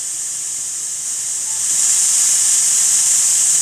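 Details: Power Mac G5 running Kubuntu Linux, launching a program after a failed game launch: loud, steady high-pitched static hiss from the speakers that swells after a second and holds; noisy audio output, cause unknown.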